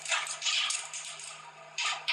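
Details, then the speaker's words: Electric vehicle lithium-ion battery pack test with only two of 64 cells being overcharged. Sharp, irregular crackling and popping bursts over a faint hum as the cells vent in thermal runaway, with flames out the back hitting the wall. "what you can't see is that the flames out the back are hitting the wall now that crackling noise that crackling noise kind of confused us for a bit"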